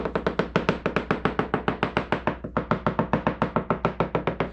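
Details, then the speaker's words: 1995 Sea-Doo SPI fiberglass hull with gel coat damage, tapped around and beyond the damaged area: quick uniform light sharp taps, hard and hollow like a wall or door; sound laminate, no delamination. "We're getting a very uniform, light tapping sound. It kind of sounds like you're tapping on a wall or a door or something else hard and hollow. That's what you want, all right?"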